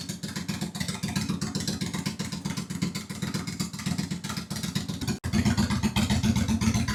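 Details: 2001 Honda Shadow VT750 V-twin after carburetor servicing, running without airbox: even beat rising cleanly with throttle, no skipped pulses, both cylinders firing; front cylinder seems to run slightly richer.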